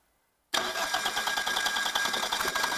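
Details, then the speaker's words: Turbo diesel engine for home-built 20kW generator, started with no cooling water and intake heater unconnected: abrupt catch into uneven busy fast-idle clatter with heavy smoke; diesel starting and running. "I think there was some fuel in the lines left but it seems to work this is a hell of the smoke here"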